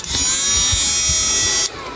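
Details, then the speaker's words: Inverter (99900W new model) under repair, tested directly at 500: a steady high-pitched whir with a faint low hum that cuts off abruptly near the end; the unit and its blower run normally, though the blower heats up. "Bali, okay naman yung unit. Maandar naman. Yan, no. Ganda naman ang andar niya."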